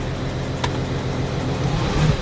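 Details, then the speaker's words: 2014 Audi Q7 3.0L diesel with codes P0272 cylinder 4 contribution/balance and P0087 fuel rail pressure too low, idling after codes cleared: lumpy, uneven thump with severe shaking, one cylinder misfiring, power loss reported. "as you can hear the engine is running check engine light went off because we erased the codes but the engine is shaking severely"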